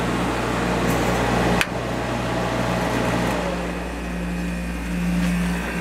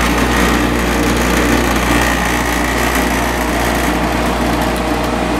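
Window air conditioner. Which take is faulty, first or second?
second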